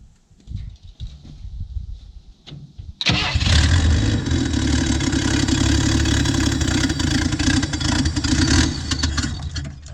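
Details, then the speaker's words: 1967 Chevy II V8, already warm, with a known hard-start problem: quiet hesitant cranking for a few seconds, then catches and revs unevenly; owner suspects a vacuum leak. "let's get the car fired up it is already pretty warm so let's fire it up"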